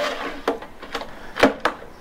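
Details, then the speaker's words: Stihl BR700 backpack blower that won't start: quick rattling starter pulls spin freely with no compression chuff or resistance; low compression, little to none, cause not confirmed. "so if you're unaware what that means that means there's little to no compression"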